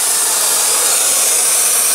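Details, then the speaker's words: Homemade intercooler pressure tester on a welded boost piping system, held at about 20 psi; steady high-pitched hiss of air escaping, suspected at a cheap blow-off valve needing replacement. "I'm gonna have to just sit here and fiddle around with it until I get all the leeks figure it out"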